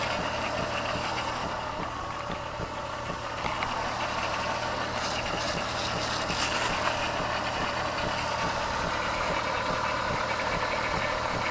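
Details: Car idling after replacing the faulty ignition coil on cylinder 5, which had been misfiring; codes were cleared. A steady, even idle with a smooth low hum and no missing beats or stumbles, so the misfire is fixed.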